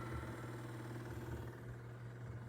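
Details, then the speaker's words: Sylvania DV220SL8 DVD/VCR combo after mode switch and button repair, spindle bearings oiled: low steady quiet hum with faint whirr while loading DVD, no grinding or chatter; normal spindle motor running. "so there you go it's loading the DVD and you can hear it's also a lot quieter too because I actually put a drop of oil on the bearings on the that spindle"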